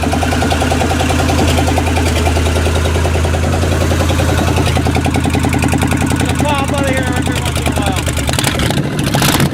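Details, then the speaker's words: Old GM 305 carbureted V8, warming up after tune-up, before timing-light check: uneven running with irregular popping and crackling from the left/driver's side exhaust, about three pops a second; owner suspects a cylinder not firing right or a worn cam. "alright so she's running a bit bitter she's got a little popping noise coming out of the driver's side of the engine so it's probably not firing right"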